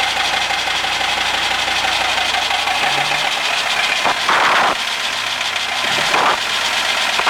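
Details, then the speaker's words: 1939 Bristol bus with a rebuilt five-cylinder diesel, first start since the engine was reinstalled, leaking oil and fuel: it starts on the button and settles into a steady, even clatter with no misfire or knock, running healthy. "thank you [Applause] so there we go it runs who'da thought it would have started that easily"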